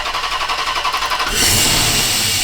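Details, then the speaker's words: Dodge Magnum R/T V8 at idle: loud steady airy hiss over the engine, seemingly from the middle of the engine top; source not found, suspected minor vacuum leak from a damaged O-ring or cracked vacuum lines. "I mean, I don't know what else could be causing the hissing noise. Yeah, it could be like a minor vacuum leak from that."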